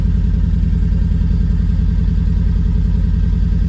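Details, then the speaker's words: Triumph Spitfire engine with points gap just reset by eye on refitted distributor, not yet warmed, gear stick shaking hard; low lumpy idle pulsing about three times a second, uneven; rough idle, points gap suspected. "As you can see, the gear stick's moving like Billio, so it's obviously needs a bit of tuning up here, but it's moving now."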